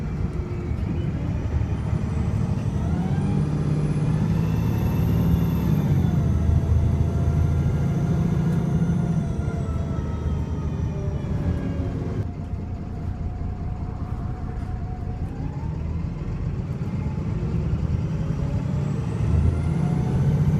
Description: Arriva North West VDL SB200, which is sounding very 'fruity' here with a misfiring engine and plenty of savage revs and kick-down throughout the video.